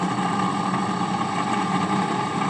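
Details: HP 8901B Modulation Analyzer running after capacitor replacement while checking supply rails, original fan still fitted: steady rough whirring drone with a buzzy hum; worn, noisy cooling fan, later replaced.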